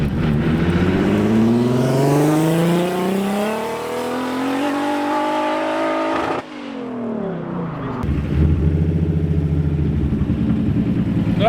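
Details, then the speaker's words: Nissan, third-gear pull after correcting the mixed-up wastegate lines: revs climb smoothly and strongly and drop cleanly on lift-off, wastegate now opens, louder with no overboost stumble. "It's a beast once you have the lines plummed correctly! It suddenly doesn't hit overboost! You could hear it from the drive now, that it was a lot louder since the wastegate opened up this time! There was just that much boost!"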